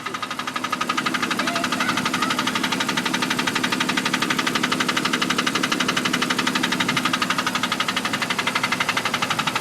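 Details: 1999 Jeep Cherokee 4.0 inline-six, automatic: sharp, regular tick at idle, about four a second, loudest after a cold start and quieting after a few miles. Mechanic thinks it is not a valve or lifter; owner suspects a cracked flex plate.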